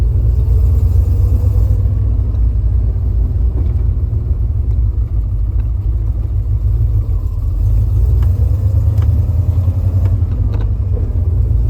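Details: 1989 Jeep Grand Wagoneer, Patriot headers, Holley Sniper EFI, Comp Cams 212, Edelbrock Performer RPM intake, 2.5" exhaust, low-speed drive: deep exhaust rumble with soft uneven flutter like leaves blowing, began after header swap; leak unconfirmed.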